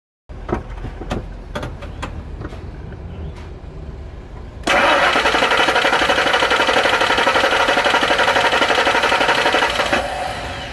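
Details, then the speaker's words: Ford Expedition with a leaking fuel pressure regulator letting intake vacuum draw fuel into the intake, flooding the engine and causing hard start, black smoke, hesitation: scattered clicks, long labored churning at about four pulses a second, only roughly catching. "Kaya nalulunod ang makina. Nahirapang sunugin sa spark plug kaya nagke-create ng black smoke, hard start at engine hesitation."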